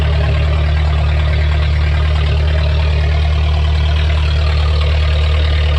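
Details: Junkyard VW Golf Mk3 revived, run to build temperature: very loud, raw deep drone at idle with a hard steady pulse; running with open exhaust, no muffler.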